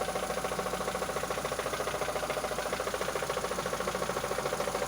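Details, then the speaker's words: Mitsubishi Lancer 9, 2005, 276,000 km: steady sharp knock about 3.5 per second at idle, seeming to come from the timing belt area, also felt toward the throttle body; cause unknown. "Вот такой стук. Что может быть? Ну, судя по отдаче, именно отдает отсюда."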